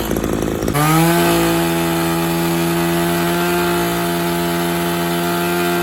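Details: Maruyama string trimmer serviced for a no-start (bad ignition coil, broken leaking primer bulb): fires up, buzzes briefly higher, then settles into a smooth, steady two-stroke drone with no stumbling. Running normally.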